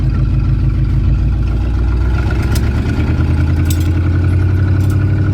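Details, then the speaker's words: 1953 Oldsmobile 98, now running on its own fuel supply during a night test: a deep, even V8 burble with a steady low rumble and no knocks or misses, a healthy engine. The transmission feels slippy, probably low on fluid. "God that is a cool sound hey this thing is so wicked"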